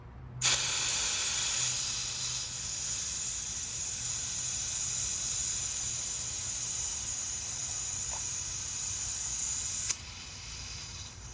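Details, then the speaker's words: OEM Tools air-compressor-driven fluid extractor pulling oil via dipstick tube from 2015 Fiat 500 Abarth turbo after 3,000 miles on Pennzoil Platinum synthetic: steady even high hiss for nearly ten seconds then cutoff; normal vacuum. "it's working. Oh, that is cool. It's doing it. Oh my God. I'm sucking oil out of my car."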